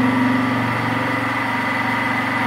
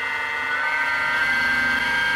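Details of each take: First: Mini milling machine with 1 HP servo motor upgrade and L050 toothed belt drive, 3-inch fly cutter taking a 0.010-inch single pass on 2-inch-wide 6061 aluminum: steady motor hum and cutting whine holding pitch without slowing; spindle healthy under load. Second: Mini milling machine with a 1 HP servo motor at 1760 rpm, on a plywood-mounted stand: the spindle spins fast with a high hum and a slight waver; the cutters are out of balance, causing vibration at spots.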